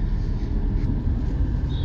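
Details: Car driving after about a quarter liter of grease was packed into each rear wheel bearing: only a steady low road rumble, with none of the earlier squeal; the rear bearings now run quiet.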